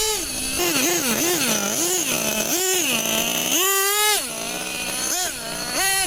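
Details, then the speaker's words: Brand-new 2014 Losi XXL2 LST 1/8 truck, Dynamite 31 gas two-stroke engine, first-ever run after slow-needle tuning: high buzzy revs rise and fall sharply with throttle, crisp and clean at top end; running strong. "Well, it's getting a lot of that good speed now, [Music] huh?"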